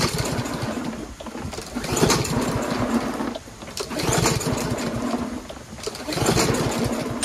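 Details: Troy-Bilt TB110 push lawnmower, next day after rain with gas in the tank: repeated pull-start bursts about every two seconds, turning over briefly with no firing; cranks but won't start, so the carburetor is taken apart next.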